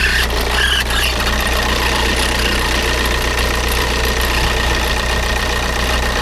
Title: Škoda Octavia 1.9TDI 81kW problem - strange noise/ damage